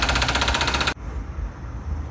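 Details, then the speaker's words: 2017 VW Vento engine at idle: fast dense metallic rattle for about a second then dropping away, from the engine front; timing chain tensioner suspected and to be replaced. "hace unos ruidos muy extraños ahorita les vamos a poner el ruido para que vean pensamos que es el tensor de la cadena de tiempo"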